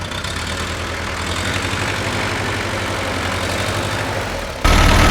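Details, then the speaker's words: 1945/46 Allis Chalmers Model B tractor with magneto ignition, parked in a barn about 20 years. Steady, even low firing pulse at idle with no knocks or misses, then revs step up; runs healthy and all gears work. "Oh well, she goes alright for an 80-year-old machine. The engine sounds pretty good and all the gears work okay."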